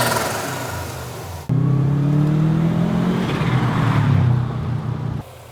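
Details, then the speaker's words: Turbocharged car with the blow-off valve blocked so it cannot vent: engine revs up, then rapid fluttering chatter as the throttle closes with boost trapped; turbo compressor surge (flutter). "by blocking off the blow fell if you prevent it from venting air which creates the compressor surge sound"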